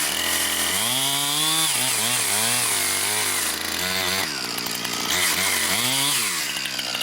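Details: Brand-new Husqvarna 460 Rancher chainsaw on its first run, cutting pine firewood: it screams at high revs, with pitch sagging and recovering as it bites into wood. It pulls strongly and evenly, a healthy saw.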